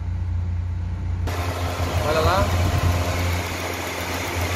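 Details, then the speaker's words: VW Santana radiator electric fan cutting in at normal temperature and running steadily over idle after replacing a faulty part with an original Volkswagen one; water pump, housing and thermostat had recently been replaced. Fan now working normally. "E aí acabou de arrumar agora funcionando padrão agora olha lá"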